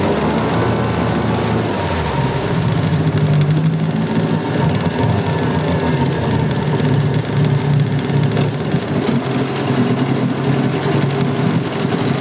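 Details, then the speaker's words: Salty Yamaha 9.9 two-stroke outboard after its no-shift problem was fixed and the carburetor passages were cleaned: a low, steady burble with an even beat and no knocking; it runs, shifts and pees. Some spitting remains, not yet adjusted. Normal running. "It runs, it shifts, it pees."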